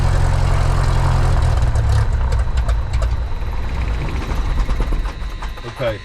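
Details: Light aircraft piston engine, mixture full rich, started on the left tank then selector moved to what was thought "both" but was actually off (unmarked old faceplate): deep uneven idle that sags and fades within seconds until it quits; fuel starvation stall.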